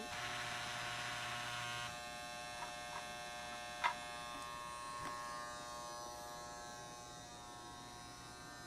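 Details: Reconditioned operating barrel loader on a Lionel postwar 027 set: an even electric buzz runs steadily, with a few light barrel knocks along the ramp. The loader is working normally.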